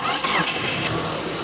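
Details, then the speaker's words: Hyundai Trajet that jerked and kept stalling right after starting, caused by a faulty CMP sensor and an external jumper wire: with the original sensor refitted, the starter whirrs and it catches cleanly into a steady idle. "Nah, normal, tidak kembali lagi. Kalau tadi kita pasang pertama tadi, dia habis hidup mati terus, hidup mati gitu terus."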